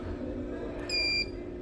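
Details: Lenovo G500 not charging the battery: a thin, high-pitched whine of about a third of a second as voltage is injected, from a shorted capacitor. The faulty cap was removed, and the line now reads 38 kΩ instead of a short.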